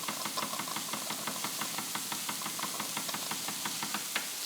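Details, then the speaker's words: Wilesco D20 toy steam engine reactivated; light, sharp knocks repeat several times a second, knocking audible while running, quieter when reversed. "That's because things take a moment to react. But there you can hear that knocking."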